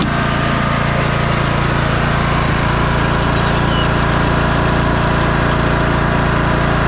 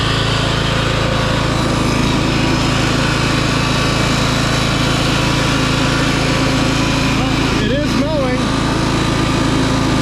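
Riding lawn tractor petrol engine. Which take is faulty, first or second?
second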